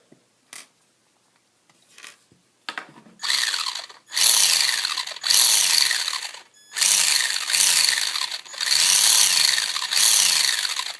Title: Traxxas slash 2wd grinding noise ????